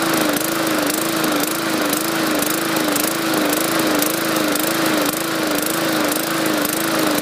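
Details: 2014 MTD 20-inch push mower, 300E series engine, main jet drilled out to 0.6 mm: pitch rises and falls in a steady wave about twice a second, surging even with raised rpm; owner believes it is getting too much gas.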